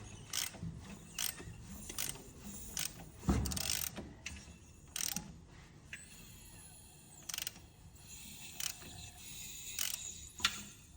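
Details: Hyundai Solaris 2 (1.4) with new Chinese-built G4LC replacement engine: sharp metallic clicks roughly once a second, loudest at the gearbox end by the flexplate while the gearbox is quiet.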